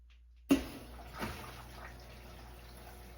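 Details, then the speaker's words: Whirlpool top-load washer that stopped filling after a storm power loss (home on a well), run on normal, tap cold: soft thump as the inlet valve opens, faint valve hum and steady rush of water filling the tub; normal water inlet valve fill. "But we can still hear the faint hum of the water valve open, electrically open, and you can actually, I can't open the lid, but we can actually hear the water flowing."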